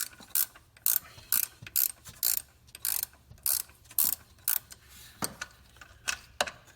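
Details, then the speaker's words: 2010 Dodge Grand Caravan / VW Routan 4.0 L tensioner pulley, belt off, spun by hand: loud rasping, ratchety bursts with each spin, so loud it is hard to film. The owner suspects a dry, ungreased bearing; to be greased. "one of these is so loud sorry I mean the way it's just one impossible to even film this"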